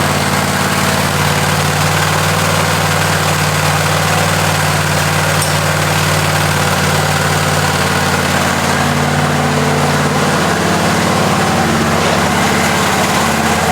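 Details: Husqvarna 54-inch deck zero-turn mower, long stored in a shed, first start on a new battery: steady, even engine drone with a constant low beat, no misses or knocks; runs pretty good, normal running.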